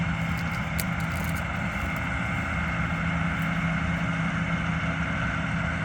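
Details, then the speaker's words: Combine harvester on a soybean-field test run after it had trouble the day before: steady, even diesel drone with a constant low hum and no knocks or misses. Engine sounds normal. "Sounds normal. What? It sounds normal."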